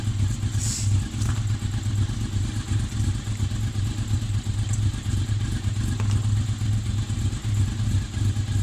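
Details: Honda VFR 750 V4 start-up after valve seat work: steady low throbbing idle with even beat and no misses or blips; settles and runs smoothly, sounds healthy.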